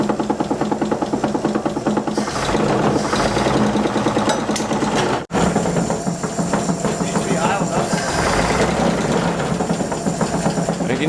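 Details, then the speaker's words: 1948 Chevy truck abandoned 58 years, first start after sitting: the old engine idles with a loose, steady chug. A rod knock was suspected, but no knock is heard once it runs, apart from one odd noise. "it ran hey it ran it did run yes I'll give it that and it didn't sound it didn't sound bad except for that noise"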